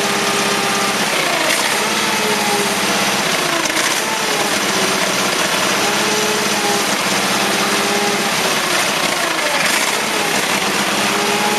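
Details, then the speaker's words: Case lawn tractor, 20 hp Onan, warm day, primed with gas after long dry storage, gas line hooked up: runs fast but surging with wavering pitch, fuel-starved, then dies; owner suspects weak fuel pump or dirty carburetor. "Well, it was there for a second, but it's all been dry for so long. That fuel pump may be weak, or the carburetor may need to be cleaned."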